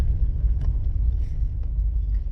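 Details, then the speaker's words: Mom's car after a front-end repair, turning right on a test drive: only a low, steady driving rumble, no squeal or squeak; the earlier noise when turning right is gone. "So, I'm testing this little cart out and the noise is gone. The noise that I would hear when turning to the right is gone."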